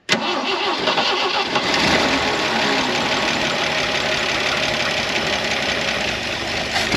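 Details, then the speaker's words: 1973 Jeep CJ5, off the road 16 years: after a brief crank it catches and runs with an uneven, stumbling note; oil pressure comes up and the engine sounds healthy, but the carburetor has issues needing work. "This carburetor has some kind of issues, but it's getting gas already."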